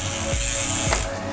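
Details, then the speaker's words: Bicycle with SRAM Red eTap during install fine-tuning: a light repeating ticking scrape as the chain rubs the next higher cog. The fix is a micro-adjust trim toward the outboard position. "So, as you hear a slight sound that um that shows that the chain might be rubbing on the next uh higher"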